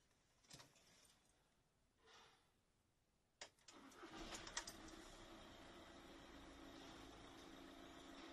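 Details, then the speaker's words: VW Caddy 1.9 L TDI (BJB/BLS) turbo diesel with crank-no-start fault, after the intercooler pipe was temporarily refitted: brief crank, then it fires immediately on the first try and settles into a steady, even idle with no hesitation. "and as you could see there we got the engine to start straight away it was right bang on the button first try no hesitation"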